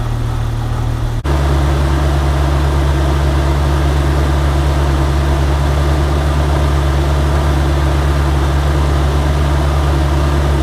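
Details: 1998 Jeep Wrangler TJ at idle with the restored AC compressor running after the leaks were fixed: steady, even low hum, no squeal, rattle or cycling clicks. The vents blow 45° and the AC works normally.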